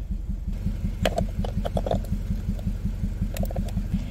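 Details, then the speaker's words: Four-cylinder car idling rough with an uneven, lumpy chug after the coil pack on cylinder 4 was unplugged to simulate a misfire, running on three cylinders; dead-cylinder misfire at idle. "so you can hear it running and it runs pretty rough it's only running on three of the four cylinders so the computer should pick it up here in just a minute"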